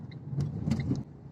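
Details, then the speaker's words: LADA XRAY Cross CVT with H4M engine, about 2,000 km, driving on fresh gravel; sharp irregular knocks over quiet engine hum – knock over rough road, owner suspects steering rack or brake caliper on left. "так она по щебню едет вот он в этот момент и проявляется"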